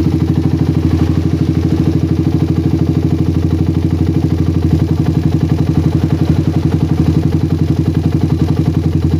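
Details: Single-cylinder motorcycle with PWK carburetor that ran rich at low RPM, after the fix and air-screw rebalance: even, steady low putter idle unaffected even when the slide is pressed for a long time, no hunting or stumbling; normal idle.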